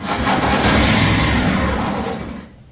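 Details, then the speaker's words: 2007 John Deere Z225 zero-turn mower with 553 hours, first start attempt: a loud, rough churn of cranking with a scraping rub that dies away after two seconds. Something is rubbing on the cover; cause not yet found. "That didn't sound good. Let's investigate. That didn't sound good at all. Was it this rubbing?"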